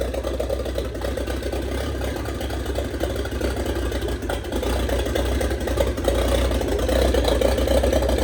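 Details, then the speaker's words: 1927 Ford Roadster with 2.3L turbo engine, first start after a fuel-line repair on 91-octane fuel: fires and settles into a steady, slightly uneven idle that builds a little toward the end. Runs cleanly with no leaks, still needs tuning. "And that's it, guys. We got it running. She's alive. And most importantly, no leaks."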